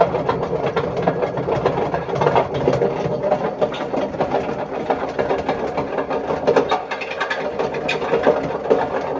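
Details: Bush WMDF612 washing machine: harsh, continuous grinding rumble with rattling clatter from badly failed drum bearings, judged not worth fixing.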